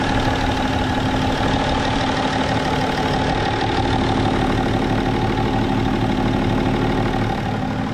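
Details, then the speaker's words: BMW 525d E39 with M57 diesel, after fixing a turbo pressure problem by freeing the seized VNT geometry lever and adjusting its small screw: smooth, steady idle with a faint constant turbo whistle, no knocking or hunting; running cleanly, turbo charging. "Et ça tourne propre. Bon, hein. Ça tourne. Le turbo il charge."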